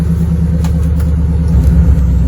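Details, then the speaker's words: Chevrolet SS sedan with a stage three cam, idling after an alternator replacement (now charging at 14.1 V): a loud raw rumble with rapid puffing chuffs on the idle pulses, from an exhaust leak. "so now we have an exhaust leak as you can probably hear the car doesn't sound great"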